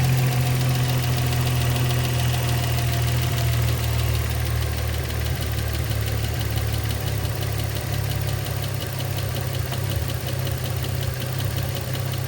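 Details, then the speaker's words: 2004 Infiniti G35 sedan 6MT (VQ35DE), idle after a couple thousand miles and fresh oil change: uneven light ticking two or three per second over steady low idle rumble; lifter tick suspected. "But it did develop a lifter tick under my ownership cuz I've probably put a couple thousand miles on it already. I already did a fresh oil change on it and I still got the lifter tick."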